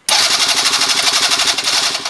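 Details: Venice 50cc scooter obtained in trade, ignition switch bypassed, old oil and gas not yet drained, spark unchecked, starting fluid sprayed in: fast, even starter whirring about ten pulses a second with no firing; cranks but won't start, cause unconfirmed.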